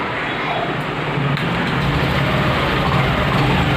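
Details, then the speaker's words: Honda Activa 6G scooter with an extra ECM main relay fitted temporarily to test a starting complaint; at ignition on, the self-start catches and runs with a quick, steady putter, no stumbling. Normal start. "அதான் வண்டி பக்கமாக self start ஆகுது."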